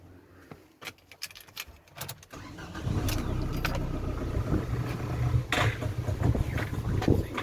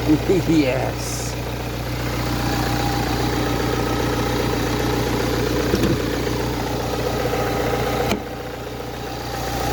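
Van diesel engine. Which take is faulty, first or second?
first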